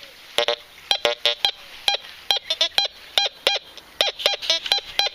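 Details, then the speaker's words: Fisher Gold Bug metal detector in discriminate mode at 41, in a heavily iron-polluted garden. Iron reads 27 with low grunts, while a thin, recent small gold coin beside iron gives clean high chirps, reading 80: a non-ferrous target tone. "là, même au milieu des ferreux, il prend bien la petite monnaie en or, il n'y a pas de problème."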